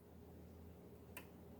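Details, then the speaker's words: Brother SE600/625 sewing machine: one faint sharp tick in a quiet room as the top thread is pulled out of the tension discs; normal, no sound when putting it in. "That's the tension discs. That's me pulling it out. When you put it in the tension discs, you don't hear anything, but when I pull it out, you do."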